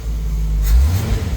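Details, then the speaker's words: Jeep YJ that long ran rich (black plugs, black smoke), after new fuel hoses, fuel filter, fuel pressure regulator, plugs and wires: low even rumble, rises smoothly on a light rev without stumble; choke opening, fuel pressure about 4.5; earlier stumbling gone, idle steady. "Alright, now that we got the fuel pressure regulator on there, it's idling pretty steady."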